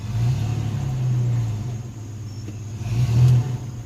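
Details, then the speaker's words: S10 pickup with swapped 2.8 engine after drag strip passes, transmission later diagnosed with likely planetary gear failure; backing up under light throttle, low engine rumble with no clunks or grinding, reverse still works: reverse gear working normally. "Yeah, reverse is fine."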